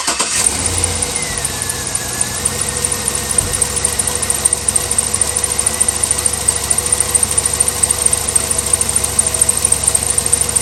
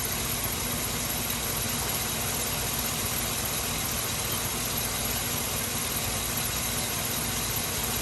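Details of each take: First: Chevy Suburban V8 idling with a fast, light ticking over the exhaust note from a worsening driver's-side exhaust manifold leak, recorded after radiator replacement; new manifolds planned. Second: Chevy Suburban, hot engine, just after radiator replacement and coolant refill: smooth steady idle with even low drone, no knocks, ticks or surging; no leaks, running fine.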